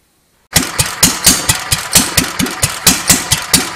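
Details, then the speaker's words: Petter A1 stationary engine just after setting the magneto timing, with an NGK BP6ES plug: single-cylinder thumps about twice a second, unevenly spaced and of varying strength, running rough; a poor HT lead is suspected as one cause. "and here we are with the engine running you can probably hear it's not running terribly smoothly there's a couple of reasons for this one I've got a bit of a rubbish HT lead on it"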